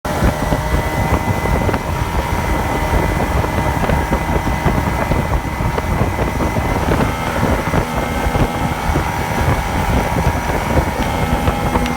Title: Misfire/surge on Yamaha 2 Stoke